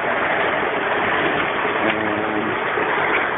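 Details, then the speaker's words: Custom-made 110-pound-capacity rock tumbler barrel; steady dense gritty rattle of rocks churning in the drum, still loud but no knocks or surges; running normally. "we look at this one still making a lot of noise"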